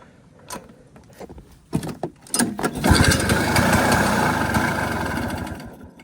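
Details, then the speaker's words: 1973 Yamaha two-stroke snowmobile, sat 8 years, engine full of transmission oil; plug keeps clogging, tried widening points gap: weak pops and coughs, then catches and buzzes roughly before fading; oil-fouled spark plug. "This plug keeps getting clogged up. I'm trying to manually gap the points a little bit bigger if I can."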